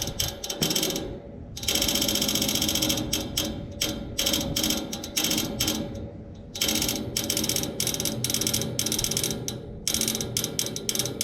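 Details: Neighbor's AC outdoor unit, fan and compressor off, motor replaced yesterday: bursts of sharp rapid ratcheting clicks from inside the unit, not the fan, as if trying to crank something; stops once the fan starts; repairman couldn't reproduce; cause unknown.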